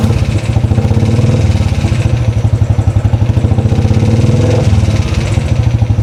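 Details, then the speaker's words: 2013 Royal Enfield Classic 500, first start after an engine teardown and rebuild, at idle: a slow thump with a loud, rapid mechanical clatter on every beat. The top end is noisy and the owner asks whether it is the rockers or pushrods. "Hmm, sounds very noisy. Anyone know what that noise is? Is it um rockers, push rods? Something else?"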